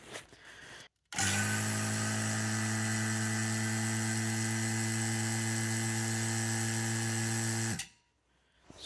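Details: Free mini fridge that wasn't cooling, after brazing in a service port and nitrogen leak test; pump starts cleanly and holds a steady even buzzing hum about six seconds, no rattles or labouring: normal running.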